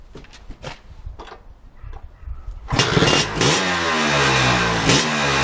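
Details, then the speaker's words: Lambretta Series 2 SS225 two-stroke single, good compression, after a 60 km ride on a cold day: starts straight away into fast idle with a dry metallic scrape over the firing; owner suspects big end or little end, source undetermined. "My Series 2 SS225 is making a very strange scraping sound."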